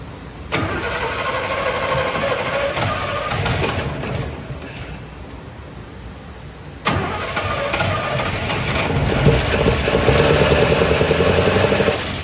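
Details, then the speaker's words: Small block in 1972 Chevy C10 after swapping in a starter (flywheel teeth also suspected), timing not set: starter spins briskly and evenly, much faster, building compression until it catches and settles into a running idle; normal cranking and start. "I think that a starter definitely was a uh a game changer it spun it over so much faster it gave it opportunity to build enough compression to bust off"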